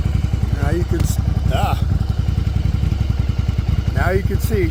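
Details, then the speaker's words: 1994 Yamaha Virago 750 chopper V-twin after fixing an intake vacuum leak: steady, even lope at about 1000 rpm idle with no hunting or surging. It previously ran up to 3000 rpm after a couple of minutes of running. "she's idling right around the Thousand like she should exactly what I wanted it's amazing how just a little vacuum leak like that can make your bike run so bad"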